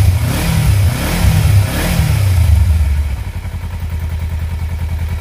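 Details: Kawasaki Versys X 250 at 10,400 km, started right after an engine oil change (about 2.2–2.4 L filled): engine blips up and settles back to a soft, even idle pulse with no clatter or ticking; running normally.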